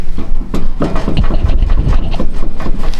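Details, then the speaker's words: Rotted Hyundai Tucson with clunk/rattle complaint while driving: irregular dull knocks and clunks as a worn rear sway bar link is rocked by hand, the rattle that sounded like a bad strut; a rattling heat shield was also found. "maybe you can hear that rattling so that's probably what we were hearing rattling that sounded like a bad strut"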